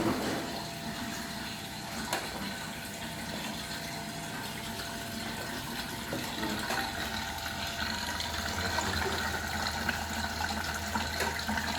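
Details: Lincoln Prestige washing machine, over 40 years old and new in its box, on its first test: a steady rush and hiss of water filling the drum with no banging, chatter or pump strain; a normal fill.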